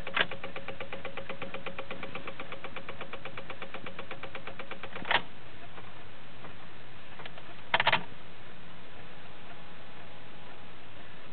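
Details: 2006 Honda Civic won't start: fast even clicking, roughly eight per second, when the key is turned; engine never cranks or fires.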